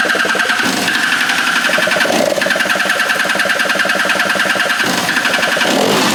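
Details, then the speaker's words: Free stand-up jet ski two-stroke on a stand after carburetor refit, fresh fuel, low/high mix screws at 1 3/8 and 1 3/4: revs surge and sag with stumbles and dropouts; runs rough, dies when given gas. "That ran terribly. Okay, let's try again. What the heck?"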